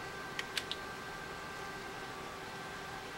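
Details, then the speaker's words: iPod 3rd gen after its hard drive was replaced with a 10 GB unit and the battery replaced, on first plug-in: a few light ticks, then a faint, even whir as the drive spins up and seeks normally. It boots, lights up and charges. "booting up sounds good and it lights up and it's charging the battery"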